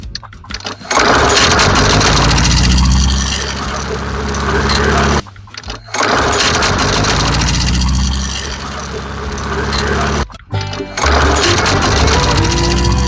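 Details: MTD Yard Machines mower with Briggs & Stratton engine after new carburetor diaphragm, air filter, water siphoned from fuel and priming; catches and runs steadily several seconds, cuts out, restarts twice, pulling evenly; normal start and run.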